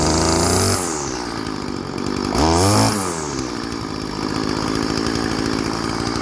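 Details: Old Stihl FS 36 string trimmer, sat 2+ years, after new clear primer bulb and carburetor tune-up: little two-stroke blips up cleanly and drops back to steady even idle without stalling or hunting; normal idle and revving.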